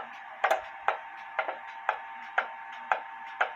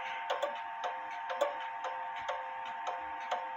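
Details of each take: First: Clock close to in beat after adjusting the crutch slightly left; steady tick-tock about one beat a second with nearly equal spacing. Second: Clock out of beat after crutch bent to the left; clear ticks about once a second but long-short alternating spacing, crutch needs bending slightly back to the right.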